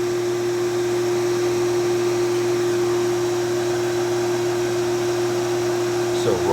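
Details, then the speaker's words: Prolux canister on its lowest setting, all filters in, about 59 CFM: steady, even whine over a soft rush of air, no rattle or surging; fairly quiet, mostly air noise, normal running. "machine is fairly quiet. It's nice. just a lot of air pushing kind of noise."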